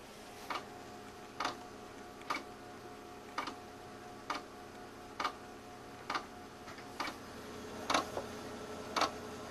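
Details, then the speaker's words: Power Macintosh 6500/275 with IDE hard drive: sharp clicks about once a second over a faint steady hum; failing hard drive, click of death. "there's the click of doom again what I don't think pixel likes that noise"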